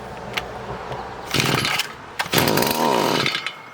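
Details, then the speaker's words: Stihl FS45 two-stroke trimmer, not running, confirmed spark, fuel poured in, throttle fully open: it catches in two short buzzing bursts, then dies each time; it runs only on a prime, pointing to carburetor fuel starvation. "Let's give it a little sniff. Of gas. We'll see if she'll fire over for us."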